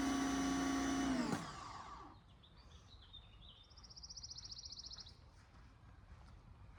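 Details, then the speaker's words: Bothlin electric pressure washer, just assembled: steady motor whine stops abruptly after about a second, cutting in and out; owner suspects a wearing-out power cord, jiggling it got the motor running. "I couldn't get the motor run, but I jiggled my cord, and evidently I've got a cord that's wearing out on me. But it finally came on."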